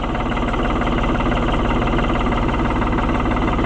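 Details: New Holland TN75 DA tractor diesel just after hydraulic pump replacement: steady even clatter at constant low idle, no misses or knocks; normal idle, though a diesel fuel leak was then spotted.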